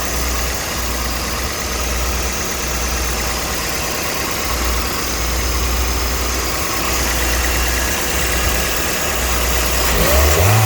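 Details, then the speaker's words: Toyota Vitz NCP15 4WD, 2NZ-FE engine, automatic, 54,000 km, tested in Japan before dismantling: steady, even idle, smooth low hum, no ticking, knocking or warning lights, gearbox works without jerks; healthy. "работает ровно, ничего лишнего не горит, автомат работает. Без проблем. Без подергиваний. Никаких посторонних шумов"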